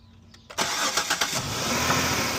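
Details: 2005 Chrysler 300 2.7L no-crank fixed by reconnecting the disconnected starter solenoid S terminal wire: brief starter whirr, engine catches within a second and settles into a steady, even idle.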